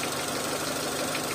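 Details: Renault Clio 1.0 16v, city-driven, with intermittent no-start, idling after an original terminal was adjusted and cleaned, likely the fault: steady, even idle, smooth continuous hum, no misses or stumbles; normal idle.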